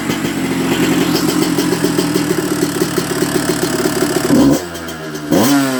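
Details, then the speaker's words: 1994 Honda CR125 two-stroke after clearing dirt from the carb blocking the 58 pilot jet: crisp crackle, two clean quick revs and settles with no bog or stall, though slightly soft at the bottom; very cold night, air screw to be adjusted. "beautiful H so I can hear that it's not quite as crisp as what it could be at the bottom"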